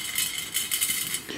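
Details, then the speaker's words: Hand-laced wheel on a DIY high-power e-bike/e-motorbike build; bright metallic clinks and pings in irregular bursts as the wheel moves, loose spokes rattling. "now if you spoke sound like this when you're on a long you've got a problem"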